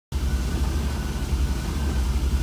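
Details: 1966 Cadillac, 7-liter V8 with Holley Sniper fuel-injected throttle body, not fully warm: deep idle rumble that swells and eases, hunting uncontrollably as the IAC opens and closes; worsens as the engine warms.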